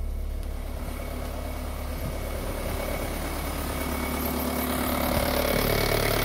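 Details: Car idling with heavy, pulsing low rumble and strong engine vibration, gear lever shaking; cause found as a broken lower gearbox mount.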